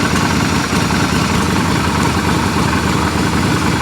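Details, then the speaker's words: Yamaha XV250 Virago V-twin being readied for sale, started cold with the pipes not yet warmed up: a steady, slightly lumpy idle with no knocks or rattles. Normal idle. "let's hit the starter these pipes are cold because they haven't been warmed up"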